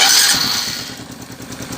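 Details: Honda Biz 110i 2020 small motorcycle engine, after removing a bolt, bleeding trapped air and adding oil to quiet a valvetrain tick: starts and settles into smooth, even normal idle; remaining light tick is the fuel injector.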